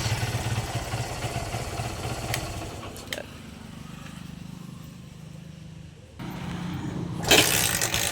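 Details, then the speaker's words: Barako 175 single-cylinder motorcycle, cold engine, after fixing carburetor overflow with new float valve seat, carb tuning, valve clearance, decompression adjustment, cleaned tank, air filter and plug: click then soft steady idle, easy start; normal start and idle. "yan easy click na siya mga lods. Madali na siyang buhayin eh."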